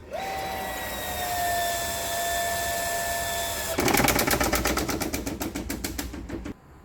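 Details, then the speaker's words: House water supply line boosted by a pump: steady pump whine, then a sudden fast hammering rattle for nearly three seconds as a tap is shut abruptly, back-pressure shaking all the manifold pipes; water hammer. "ya akan ada tekanan balik yang dinamakan water hammering yang tadi saya perlihatkan. Ada getaran di semua pipa-pipa yang ada di manifold ini ya."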